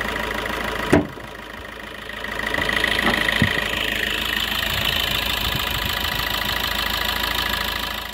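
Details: Used Suzuki Ertiga Diesel Hybrid, warm engine: after a brief clunk, steady even diesel idle with usual light clatter, no knocks or misses; healthy engine.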